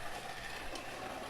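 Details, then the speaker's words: Tyco Mantua B&O model steam locomotive with a five-pole motor, unrun about 50 years, after disassembly and cleaning of oxidized contacts. Running on track at roughly 65% power, fast, with an even motor hum and faint rail-joint clicks. Normal running. "well that's uh pretty good it's a very fast model look at how fast it's going that's at about 70 oh 65 percent roughly and it's uh it's booking it"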